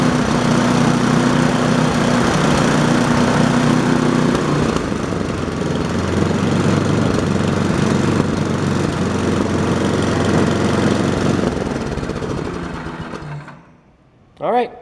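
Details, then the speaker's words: Small snowblower engine test-run after a winter tune-up (no air cleaner fitted) runs smooth and even for several seconds, then winds down cleanly at shutdown; healthy running, no misfires or rattles. "Double check one more time. Make sure everything runs. Turn it on first."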